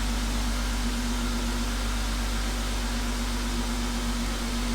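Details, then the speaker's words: BMW E36 idling after replacing the water pump, thermostat and housing, coolant refilled while air bleeds out: a smooth, even idle with a steady low hum and no whine, rattle or grind from the pump. Normal idle. "So far so good. I don't hear any crazy noise from the water pump or anything. I don't see any leaks right now."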